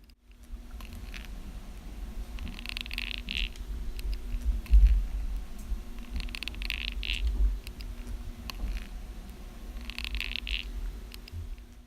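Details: Brand-new Zhiyun Smooth 4 gimbal motor, recorded directly from the iPhone: low hum with faint steady tone and scratchy rasp recurring every few seconds; faulty, poorly installed bearing in the motor.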